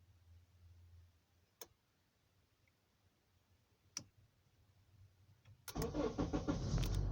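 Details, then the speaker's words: 2008 Honda CR-V 2.4L with intermittent no-crank or sluggish cranking: after the fix, key turned slowly to start gives a few quiet clicks, short crank and clean start, the earlier weird noise gone; normal cranking and start. "now I just ch slowly turn key to to the start position but no that kind of a weird noise is gone there"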